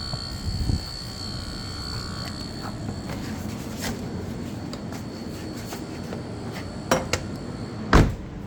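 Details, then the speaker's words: Lucid: thin, steady high-pitched electrical buzz that does not stop by itself over a quiet background; source unknown, and the title says a logo reset cleared it. "Let's see if the noise will stop by itself. And it's still there."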